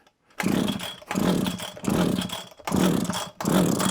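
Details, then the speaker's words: Probably early-1980s Komatsu Zenoah Pro 26 two-stroke strimmer, won't start, possibly sat a while, throttle locked, choke then off; five short rough firing bursts with smoke, each dying within a second; fires but won't keep running. "oh it fired I heard that off a throttle that fired off FR off choke definitely fired I heard it a bit of smoke come out the back that definitely did something"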